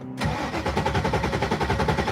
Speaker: So it's on the car. It runs. Starts right up.